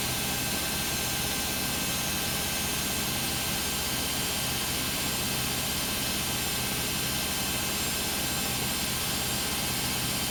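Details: Beko WM5100W 5 kg washing machine found on the street, loaded with rags, on a spin of about 10 minutes. A constant, loud, unbroken roaring whir; a harsh, noisy spin, cause suspected but not confirmed.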